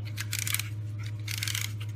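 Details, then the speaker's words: Ford steering clockspring removed and turned by hand: two bursts of loud, rapid, dry clicking over a low hum, audible even in the vehicle. A good unit is quiet; this one is failing internally, and its symptoms include horn, steering-control and airbag-light faults. "so you just you if you hear that noise and any one of your components on there and not working on your steering wheel horn anything right you know your clock spring is bad"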